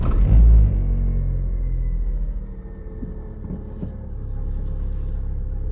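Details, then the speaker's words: Chery Kimo, cold start with clutch pressed, recorded for an under-hood noise: loud low rumble settling into steady idle with faint irregular pulsing; cold start engine noise, cause not identified. "вот такой вот звук на холодную если сама камера со звуком сможем передать"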